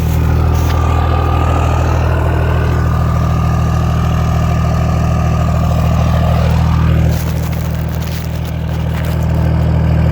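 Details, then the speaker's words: Straight-piped 6.7 Cummins swapped into a 2nd-gen truck with S467 turbo, 5-inch turbo-back exhaust, reliable ~700hp build: deep, even idle rumble with no misses or knocks, healthy. "Sounds good. It's a badass build."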